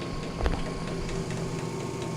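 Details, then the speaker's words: Maytag Performa top-load washer leaking, filled with water and put into spin: steady motor drone with low hum and thin constant tone, no spin-up whoosh; tub bearing rusted from long-term leaking and totally seized, transmission not rotating. "and it's not even actually spinning so what's happened is the tub bearing itself because of the unit leaking for so long uh has rusted up and is totally seized"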